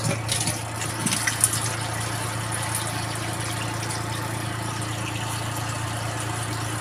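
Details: Twin-tub washing machine after repair of a drain problem caused by washing rags, which can block the water path. Steady low motor hum with water sloshing, no knocking or rattling; the water no longer leaks out. Normal running.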